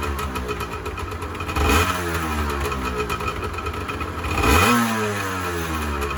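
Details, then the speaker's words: 1986 Honda NS400R 400cc two-stroke triple, first start after 11 months sitting: crisp idle with two clean blips rising and falling smoothly, no stumbling or clatter; healthy, though the oil light stays on (owner suspects the oil level-sensor connection). "for 11 months I can't really complain about that"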